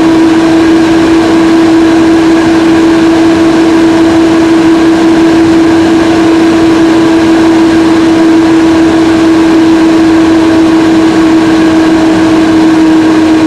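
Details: Inside a Mac Pro with the camera placed in the case: a loud, steady rushing roar like an airplane about to take off, constant hum with no rise or fall, as the cooling fans spin up to full speed.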